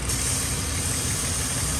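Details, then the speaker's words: Warm 2002 Ford Explorer (about 180°F) at idle with codes P0171/P0174 and high fuel trims on both banks. A constant high hiss over a smooth idle comes from a cracked, deteriorated line, apparently the purge-valve line, to the back of the intake: a vacuum leak. "yeah this Line's got a hole in it right here so I just pinched it closed because this thing is so deteriorated I can actually pinch it closed and it just stays closed"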